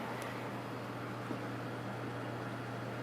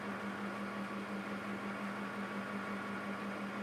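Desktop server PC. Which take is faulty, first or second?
second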